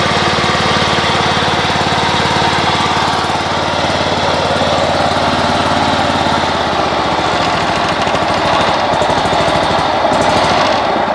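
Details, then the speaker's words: Great Dane Super Surfer mower engine running with a rough, gravelly whir on top: bad bearings in both flat idler pulleys under the pumps, to be replaced. "yes so that sound that sounds like uh bad bearing that is that's the flat idlers under underneath these uh pumps the um the bearings in those idlers have gone so I have to replace both of those"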